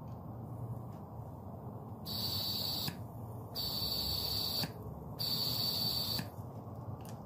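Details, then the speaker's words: Jeep Wrangler 3.8 EVAP purge solenoid bench-tested for codes P0456/P0457 using battery power while air is blown through it. It clicks open and shut about every second with a thin tone while open, so it switches normally. "so every time I apply power this thing opens as soon as I take power off it closes so all I'm doing is touching my negative terminal back and forth on my battery while the positive stays connected and you can hear it opening and closing as I'm blowing it like this"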